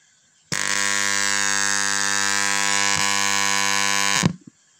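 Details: Microlab Solo 1 powered speaker switches on into a loud, steady, raspy mains buzz; cause a swollen power supply filter capacitor that had lost almost all capacitance, replaced with a larger one.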